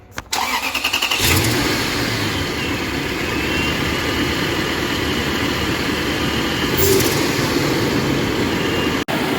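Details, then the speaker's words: Toyota towed in torn apart, after starter replacement under the intake, tightened throttle linkage and repaired wire: catches after a short crank and settles into smooth, even idle with no misses or knocks; sounds healthy, possible intake gasket leak noted. "she sounds healthy get her out of here"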